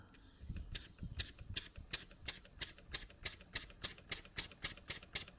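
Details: Jowitt Major poppet valve steam engine, first run after ~30 years unused, oiled, cam timing set, run on compressed air from a compressor; crisp, even clicks rising from about two to four beats a second, no misses or knocks: running nicely, governor working.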